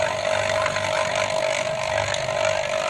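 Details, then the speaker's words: Vacuum pump evacuating a two-door refrigerator with a not-cooling complaint, gauge dropped straight down; loud steady mid-pitched drone with even hiss, no knocking or grinding; normal running. "mesin vakumnya juga suaranya kenceng Jadi ini nanti kita tunggu sekitar 10 sampai 15 menit sampai udara yang ada di kulkas benar-benar hilang semua"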